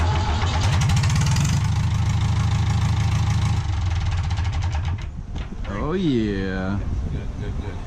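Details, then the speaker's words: Case David Brown 995 tractor after injector pump timing work, cold start: loud open-exhaust diesel chugging evenly at idle, a deep steady rumble without misses or knocks, runs healthy. "It was nice to hear the 995 run. We were so happy that it fired off and we were all good to go."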